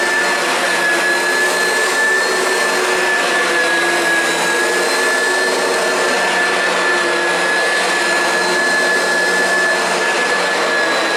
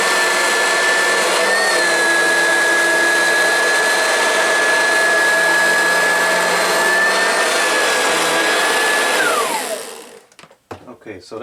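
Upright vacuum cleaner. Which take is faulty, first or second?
second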